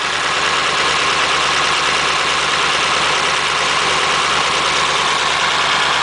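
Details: 276-inch flathead V8 in a Model A roadster on '32 rails, just restarted after about 18 months parked outside, cold on choke: steady, even idle with a smooth hiss, no knocks, misses or ticks while warming.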